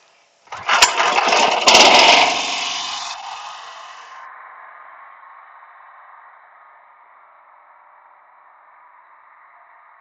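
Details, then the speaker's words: Pressure washer running off a buffer tank alongside a softwash system: starts on one pull, a loud burst, then settles to a steady, quiet idle at low throttle with no misfires; normal start and idle. "That's one pull baby. It's going to be a little bit loud."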